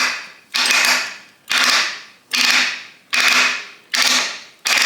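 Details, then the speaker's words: Rebuilt 1979-1984 Harley-Davidson 4-speed rotary top gearbox, aftermarket top gear, being turned by hand on the bench: crisp evenly spaced clicks about once a second, each landing cleanly; positive, normal gear selection. "feel how nice and positive that is ain't no way that gu slipping stuck in two years"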